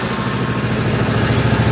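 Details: 1955 Cushman Truckster after the fuel line was blown out with a long nozzle, idle setting unknown; low, even single-cylinder putter at a steady idle with no misfires, knocks or stumbles, no smoke, quiet through a homemade EMT-conduit exhaust: clean, healthy idle.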